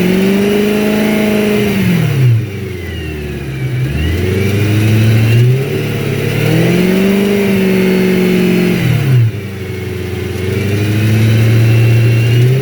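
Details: 2011 BMW E92 M3, 66k miles, unmodified, warmed up, 1700–2500 rpm; light metallic ticking easing off higher up, owner feared rod bearings but it was the transmission heat shield touching the exhaust, gone after removal.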